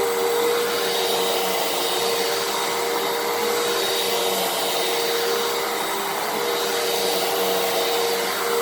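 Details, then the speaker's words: Fantom Fury 12 amp vacuum, made October 2000, after clearing a clog: steady, even motor whine holding one pitch with strong airflow rush, no surging or rattle; brushroll and motor now run perfectly. "how good the brushroll is how good the motor sound how good the thing works once it was unplugged I'm not complaining so yeah very very happy to have it it runs perfectly now"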